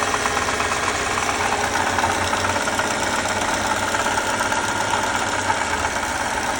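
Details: 2018 Lexus IS 300 at idle: faint rough, rapid ticking chatter over the hum; bad water pump.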